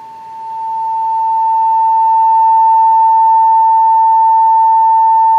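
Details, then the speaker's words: 1949 Westinghouse H-104 7-tube radio speaker tested from an audio generator at 31 volts, 200 mA, field coil 22% low in DC resistance: clean, steady tone near 900 Hz, no buzz or rattle; speaker operating properly. "So it's 31 volts, and you can hear that it is operating properly."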